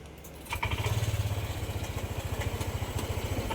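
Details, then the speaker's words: Honda Click 125i scooter with error code 08 and an intermittent check engine light: uneven, pulsing putter at three to four beats a second; slow throttle response and hesitation, dies when decelerating; throttle hesitation. "yan hindi agad nagre-response namumugak tapos minsan lalabas yung check engine tapos nawawala"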